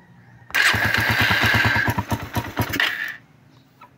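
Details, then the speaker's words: Suzuki Raider 150 single, started after a new battery (the old one was killed by voltage-regulator overcharging) and an oil refill: fast, sharp ticking. Valves, crank and piston were damaged by running without oil. "Patinggan natin yung makina dahil maingay yung makina nito. Dalawa ng natuyuan. Ayan yung pumipitik na yan."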